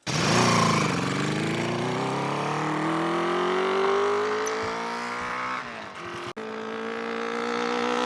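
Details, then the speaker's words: 1974 Honda CB350F four-cylinder, long-stored, after clearing a blocked third carburetor: revs smoothly then settles into a steady even fast idle around 1200–1300 rpm, normal. "I mean it sounds like more it sounds like it's fast idling at 13 1200 right now no problem"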